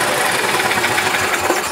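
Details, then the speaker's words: 2011 Club Car DS gas golf cart: small engine throttles up at start without pedal and screams to high buzzy rev, hitting rev limiter without dropping back; bad governor not regulating; overrevving. "as we can see the governor is not working like it should that should have automatically bounced itself back the governor is bad in this cart"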